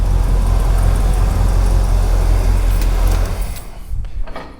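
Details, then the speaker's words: First start of a 1980 Pontiac Grand Le Mans fitted with a 350ci (5.7L) Chevrolet V8, after the carburetor reportedly needed cleaning; deep, steady V8 idle burble, even rhythm, no knocks or misfires, then shuts down; runs well on fuel, normal running. "that's running on fuel that sounds good wow wow oh mate that was an easy fix"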